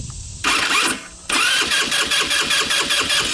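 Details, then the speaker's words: Older Tao Tao Bull 150 ATV, a non-starter with stale gas, cranked on a jump pack: brief crank, pause, then steady cranking with a firm, even push each stroke; compression sounds good. "Yep, even sounds like it has compression."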